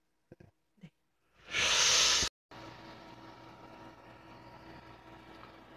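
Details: PC CPU cooler fan running at full speed, loud steady whir with faint tone; board was feeding the fan maximum voltage, fixed by enabling fan speed control in BIOS; rear case fan also noisy and replaced; E6300 system upgraded to Q6600.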